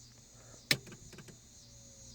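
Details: 1998 BMW M3 no-start, key on: a click, then a faint steady whir with no starter or fuel pump running; source unknown, owner suspects the EWS immobilizer system.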